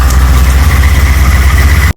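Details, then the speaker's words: VT Clubsport after engine rebuild, first start-up with new pulley and new air-con belt fitted to cure a whistle: smooth, even petrol idle, steady low rumble, no whistle or squeal. "there we go that sounds much better much better beautiful"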